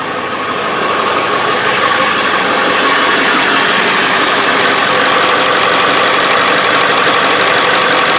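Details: Early 1999 Ford F-350 7.3 diesel after glow plug relay replacement (old relay suspected dead for years, causing cold cranking trouble below about 50°F): engine fires and settles into a steady, even diesel clatter at idle, no stumbling or missing; starts and runs healthy.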